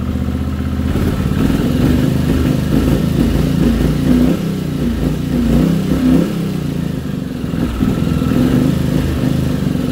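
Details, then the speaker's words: 1979 Honda CX500 Custom twin, unrun 2 years, warmed to normal temperature, after mixture screw adjustment: uneven idle with dips, surges, light clatter over low chuff; rougher than before, carb setting suspected. "Feels like it's worse. Yeah, it feels worse."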